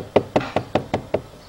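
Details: Dacia Logan plastic door pillar trim: six sharp, hollow plastic knocks about five a second, then quiet; the lower trim cap moves and rattles because the rubber seal doesn't hold it.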